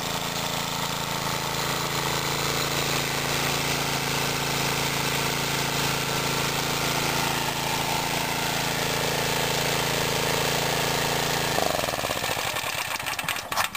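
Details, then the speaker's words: Mid-1950s Clinton 3 hp single-cylinder engine driving a belt-driven 110 V 60-cycle generator, cold start: starts on one pull, pops along at a steady, even rate, then winds down at shutdown; runs healthy. "notice how difficult that was only one pole and it's running nice reliable Little Engine"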